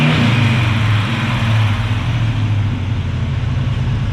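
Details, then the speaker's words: Carbureted engine after new spark plugs and a new carb gasket (the old gasket leaked fuel onto the manifold): steady, even low beat with no misses or surging. Now idles cleanly on its own and runs much better. "It runs by itself. Fuck yeah, that runs way better. Fuck, that sounds so much better."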